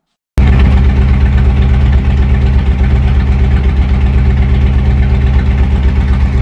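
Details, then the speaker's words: 2007 Harley-Davidson Ultra Classic 96ci V-twin with over 100,000 miles, before a swap to a 103: loud, deep idle with a heavy uneven lope; owner suspects crank runout tearing up the bearings, not confirmed; engine mechanical noise. "now crank run out happens you know the bearings start getting torn up and stuff like that because your cranks are uneven and they're they're spinning not completely true stuff like that so I believe that's the problem I'm having"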